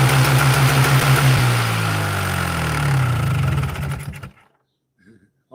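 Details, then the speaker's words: Polaris 400L two-stroke ATV after refitting the original carburetor in place of an Amazon one. Fast idle climbs and wavers, too high to shift into gear, and races until shut down. Owner suspects the throttle or idle adjuster; needle clip is at the highest setting. "almost sounded like it wanted to race out of control there, so I shut it down."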